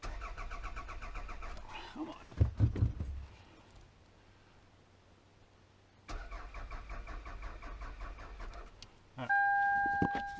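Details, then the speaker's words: Long-sitting 1999 Toyota Solara, being wired up to start. The starter spins the engine at a steady, even pace over two tries but it never fires. Owner suspects no ignition on the engine side. Crank, no start. "well she didn't go you got to wonder i mean what else could be missing we may not have ignition on the motor side here"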